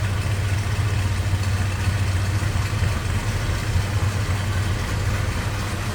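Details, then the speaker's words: Built 327 small-block V8 in a 1969 Chevrolet C10 with Sniper fuel injection, at steady idle just after start-up: deep, even rumble with no knocks or ticks, sounds good. "327. Sounds good."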